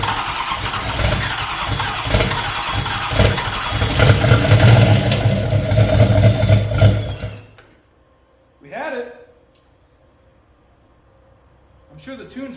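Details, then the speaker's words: Turbo LS-swapped Fiero at first start in about a year, with different injectors: fires and runs lumpy with an uneven pulsing beat, then quits; owner suspects a vacuum leak, not confirmed; rough idle. "I might have to just let it idle we got a vacuum leak or something somewhere"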